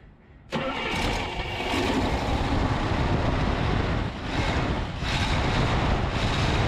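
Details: 1964 Cadillac Fleetwood on a motorhome chassis with a 429 V8, newly fitted replacement carburetor primed by hand: starter catches fast and the engine settles into a steady, fairly even idle with no misses, knocks or stumbles; normal start.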